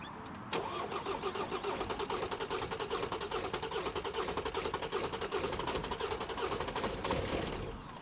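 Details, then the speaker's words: 2021 Ford Transit bought as a non-runner, first start after refitting and bolting down the injectors with connectors still unplugged. It catches into an uneven, lumpy, ragged idle; it sounds as if it runs on only three cylinders. Codes to be cleared. "yeah it sounds a bit rough doesn't it it does but yeah cut that I code clear it that sounds like he's only going on a cut the three cylinders do it"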